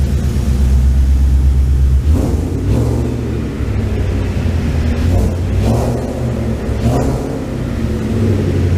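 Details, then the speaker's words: 1989 Ford Ranger with Coyote V8 swap, after timing correction, no coolant: deep, even rumble with throttle blips, revs rising and settling cleanly, no miss or rattle. Runs normally. "Ooh, she sounds good. Yes, she sounds good."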